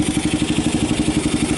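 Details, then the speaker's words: 1990 Kawasaki Bayou 220, junkyard ATV with a replaced carb and good compression, after a cold start: single cylinder thumping evenly about nine beats a second with no skips, idling cleanly while charging the battery, with slight smoke. "now it's kind of a matter of actually sounds good oh it's even charging the battery"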